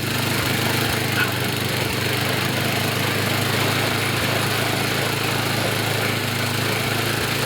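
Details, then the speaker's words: Yardman snowblower small engine after idle and high-RPM adjustment and auger belt fix: steady, even buzz at high speed with no surging, misses or hunting; running properly. "I got the idle set I got the high RPM set sounds good it's running well it sounds even better on the load"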